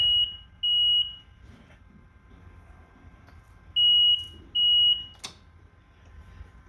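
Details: Ryobi RM300E mower with new Digi Marker 48V 67Ah LiFePO4 battery replacing lead-acid, turned on after install: two sharp high beeps, about three-second pause, two more; normal power-up chirp, battery accepted.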